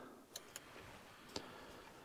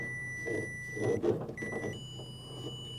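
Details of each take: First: Bobcat S175 with no power to the cab, 12 volts back-fed from the battery by jumper wire; sharp isolated relay clicks as power reaches them and panel lights up, power present at fuse box but not reaching cab. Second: Bobcat S175 with no power to the cab: the continuity tester's tone drops out and returns as the exposed harness wire is wiggled, indicating an intermittent open circuit, possibly at a smushed spot in the wiring harness.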